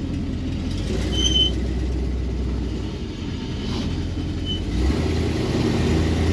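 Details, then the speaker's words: Dodge Coronet 500 with a 383 big block plagued by backfiring: deep rough rumble pulsing about four beats a second at idle; owner suspects the leaking power steering pump, source not confirmed. "Can't figure out if that's the power steering pump just shooting craps because it's leaking like crazy or what."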